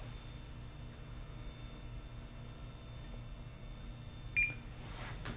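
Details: Zeltex ZX101C portable near-infrared octane analyzer, sample placed and measure pressed; single short high beep at about four and a half seconds over quiet room hum; normal measurement-start beep.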